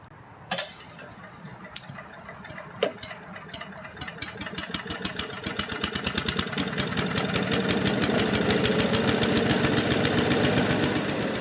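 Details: Craftsman/MTD chipper-shredder, 5hp Briggs & Stratton 133412-0059-01, sat outdoors about 10 years, after new carburetor and recoil: a few pulls, then catches and settles into steady even beat, no ticking or knocking; normal running, brief smoke attributed to burning residue.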